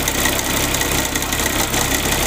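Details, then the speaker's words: Suzuki FX engine running: constant harsh buzzy rattle, not the alternator bearing (alternator checked fine); cause was a loose alternator mounting bracket. "तो हमारे पास ये गाड़ी लेकर आए, तो हमने इसका चेक किया। इसका जनरेटर का जो ब्रैकेट होता है, जहाँ पे इसका जनरेटर टाइट होता है जाकर, वो ब्रैकेट इसका ढीला था।"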